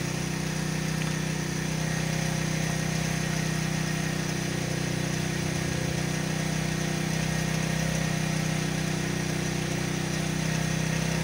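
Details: 1997 Yamaha SR 125 single idling after its first start following winter storage: even thump at about three beats a second, steady with no misses or tapping; normal idle.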